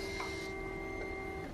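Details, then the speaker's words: Honda Ruckus/Zoomer with 49cc fuel-injected engine, key on: steady electric hum runs about a second then cuts off as the fuel pump primes, throttle body position sensor follows; normal before start, then it runs. "can hear the fuel pump and then the throttle body position sensor, and then literally just have to so she runs."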